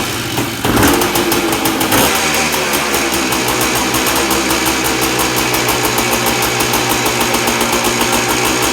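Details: 1979 Suzuki PE250 two-stroke just fitted with a new 38mm carburetor (old float stuck, leaked, hard starting), started on choke: fires quickly, then a crisp, even idle with rapid regular pulses; runs cleanly and healthy.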